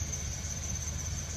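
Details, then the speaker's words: 2003 Chevy 2500HD with a 6.0L LQ4 iron-block engine, about 130k miles, half warmed up, oil pressure about 38 psi. A steady high-pitched belt screech over an even idle: the accessory belt is squealing, possibly with a bad alternator. "see definitely hear that belt screeching"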